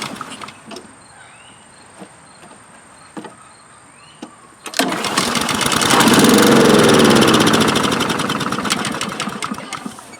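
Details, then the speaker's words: Vintage Honda Harmony II HRR216 push mower that sat unused for years; starts on the second pull on starting fluid, runs about five seconds and fades out; spark confirmed, fuel starvation from clogged carburetor, no fuel flow; carburetor cleaning follows. "And then it died, right? So that first test confirmed for us what the problem is. We're not getting fuel flow through this carburetor."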